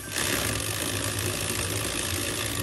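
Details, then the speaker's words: HB R1001 Ford Bronco RC crawler, before fix, with full-metal shifter. Harsh buzzing rasp for over two seconds as the gear goes in, teeth grinding instead of meshing. Advised to stop running it to avoid stripping other gears. "kalau kalau kalian sudah dengar suara kayak gini Mending jangan dilanjutin karena menghindari kerontokan dan kefatalan Gear yang lain ya"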